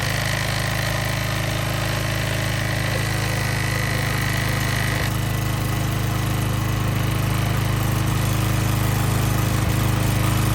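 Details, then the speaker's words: Power washer small single-cylinder engine after repair of a broken governor and a likely out-of-time camshaft (previously hard starting, surging, then no start); starts easily and holds a steady, even drone with no surging or hunting. "that was the easiest it's ever been to start since we've had it and it runs good now"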